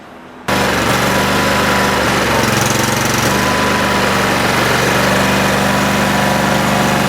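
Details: Cub Cadet tractor engine that runs fine for a minute, then seems fuel-starved or missing. Plugs were replaced and one came out fuel-wet. It runs with an uneven, stumbling beat, about four pulses a second, one cylinder dropping out; the owner suspects a bad coil or fuel solenoid.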